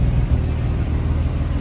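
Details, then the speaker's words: V6 fitted with Redback exhaust system full of holes: deep, uneven exhaust rumble with ragged puffing edge as it revs, ticking/knocking heard; bad exhaust leak, engine running rough. "It's running like crap. There's the ticking slash knocking."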